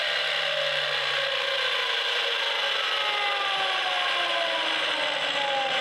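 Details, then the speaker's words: Failing Milwaukee M18 12-inch miter saw coasting down after release: falling whine with a rough rasping grind under it and a long time for the blade to stop; the saw is dying. "so this is what it sounds like when your Milwaukee M18 mitera is dying a slow [Applause] [Applause] death see how long it takes that blade to stop"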